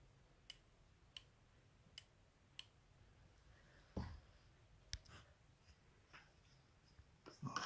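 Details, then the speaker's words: Honda ST1100 Pan European front brake lever being worked during a front master cylinder repair. Faint, crisp single clicks come with each lever stroke in a quiet room. The electrical brake light switch clicks as the brake is applied; normal. "À noter que vous entendez un petit clic-clic, c'est le contacteur électrique. Quand je freine, ça relâche le contacteur et qui fait clic."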